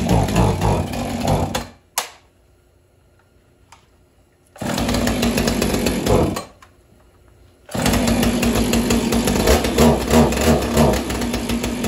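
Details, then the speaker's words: Husqvarna 445 chainsaw, first start after over 10 years unused: two-stroke buzz in strong revving bursts with quiet gaps, picking up cleanly each time; left running to get fuel flowing through stiff carburetor diaphragms. Runs normally. "I'm gonna let it run for a bit you can hear it hopefully you can hear me right now but I'm gonna let the diaphragms really get the gas running through them again sometimes they're pretty stiff"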